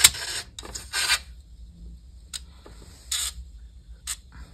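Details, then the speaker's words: Amiga 600 (1992) floppy drive booting AmigaDOS disk after bearing oil applied: irregular bursts of dry, hissy scraping as the spinning disk rubs. "voilà donc ici on entendait un bruit bizarre parce qu'il y a le la rotation qui touche"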